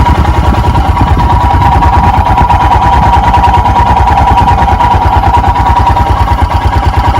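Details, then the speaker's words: 2021 EFI Royal Enfield Himalayan single right after a cold start, choke/idle lever down, throttle untouched: low, uneven thump about three beats a second, wavering below the usual 1200 rpm; rough, lazy cold idle. "I don't hear any difference, and I don't see any difference. This typically raises it up to 1200."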